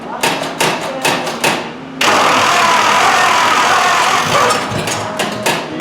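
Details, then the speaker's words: Chopped 1950 Ford Shoebox sat 20+ years, first start attempt on a 12 V battery instead of 6 V: a few ragged pops, then a loud uneven open-pipe roar that sags and stumbles. Sputtering start from fuel starvation; electric pump planned. "I got an electric fuel pump around here I can hook up and just force gas through the carb"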